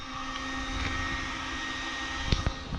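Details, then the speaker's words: 2004 Chevy Trailblazer, P0410 repair: secondary air pump commanded on by scan tool after a new relay was fitted, steady electric whir with even drone, no grinding or squeal. Winds down when commanded off. Normal secondary air pump operation. "Okay. Excellent. Command it off. Yeah, and it winds down."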